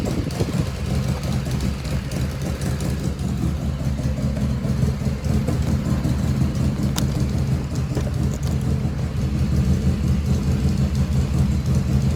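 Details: 1985 Harley FXRS Evo, carburetor just reassembled, battery had been dead: loping V-twin idle with uneven potato beat holding steady, no stumbling; idle jet fuelling pretty close.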